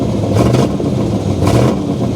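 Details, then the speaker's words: LT1 V8 with a Comp XFi 292 cam, cold, IAC maxed out, throttle stop raised, on a poor generic PCM For Less tune: lumpy, choppy running with sluggish blips that struggle to climb; big cam on a bad tune, won't rev cleanly. "like ass. It doesn't really rev good, so let's just go start tuning on this thing."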